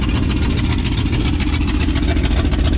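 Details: 1994 GMC 3500 454 V8 work truck, smoking, running diesel-gasoline mix: sharp puffing ticks about three to four a second over deep idle; exhaust leak at manifold-to-downpipe donuts, to be replaced.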